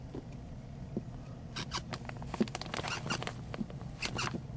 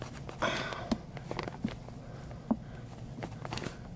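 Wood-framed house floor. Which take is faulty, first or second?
first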